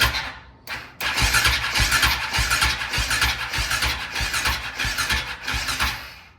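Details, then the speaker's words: KTM 525 (Outlaw) with a no-run issue: starter spins the engine in a quick chugging rhythm for about five seconds without firing; battery too weak, compression test planned, a hiss heard while cranking. "We're not gonna get enough juice to power it. I mean, it cranks."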